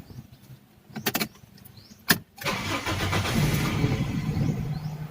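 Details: Toyota Corolla Bigbody GLi AE101 with 4A-FE engine, cold start: two short failed cranks, then a longer crank before it stumbles into a rough, uneven idle; hard starting, cause unconfirmed.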